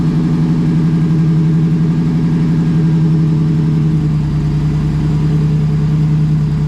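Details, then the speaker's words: Ford SVT Lightning truck, cold engine, untuned: deep, uneven, lumpy idle right after cold start, only on cold start, not under throttle; rough cold idle, owner wonders if tune-related, oil slightly low, cause unclear. "it only does it during cold start it does not do it when you get on it nothing like that it's just cold start"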